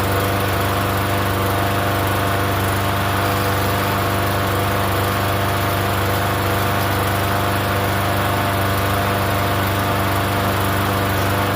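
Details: Free Yard Machines 21-inch self-propelled mower, not run in over a year, primed and started on gas: small single-cylinder engine holds a steady, even run with no misses, knocks or surging; runs fine.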